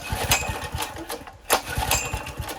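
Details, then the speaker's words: Honda GX160 generator fitted with an LPG conversion carburetor, running on gas: repeated rapid pull-cord chuffs in short bursts, never catching; turns over but won't fire, though it ran earlier and then started. "Why aren't we running? It should just run."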